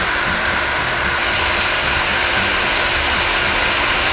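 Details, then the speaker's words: Pentair Clean and Clear Plus cartridge pool filter after cleaning: pump energized with safety valve open, steady hiss of trapped air escaping over pump hum; normal bleed-off before water arrives and valve is closed. "Energize the pump with the safety valve open, and that's going to allow the air to come up and out of the safety valve, and then once we start getting water out of the safety valve, then we're going to go ahead and close that off."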